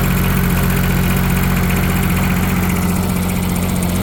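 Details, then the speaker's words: Yanmar 3TNV70 three-cylinder diesel in a Cat 300.9 excavator, after injector and glow plug replacement: an even idle with a low chug and no injector knock, a lot quieter, though it still smokes from an oil source not yet found. Normal idle. "Or at least it's a lot quieter."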